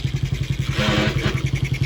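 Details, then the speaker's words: 50cc kid's quad just got running, oil level checked: small single buzzing with a dry clatter on top; owner suspects transmission noise, unconfirmed. "I don't like that noise, whatever that is, but I guess if the engine lasts a little while, we'll get something out of it. It does have oil. I checked the oil. It sounds like a transmission thing or something."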